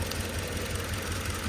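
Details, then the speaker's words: 2.7 VVT-i petrol van with factory CNG, running on petrol: uneven stumbling idle with irregular low thumps and noticeable shaking; misfire, suspected ignition coil or spark plug, coil to be replaced. "แต่ก็ยังสะดุดอยู่นะครับเครื่องสั่นพอสมควรถ้าไม่ใช่หัวเทียนน่าจะเป็นคอยล์นะครับ"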